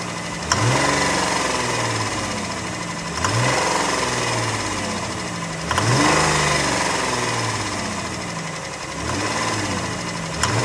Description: 2015 Grand Caravan with Rod knock on cylinder 6.